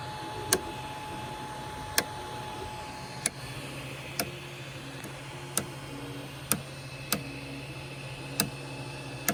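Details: Micro Swiss direct-drive extruder clicking when hot, with slowed extrusion: sharp dry clicks about once a second over a hum. The gear screw is not the cause; pushing filament from the spool side briefly stops the problem before it returns.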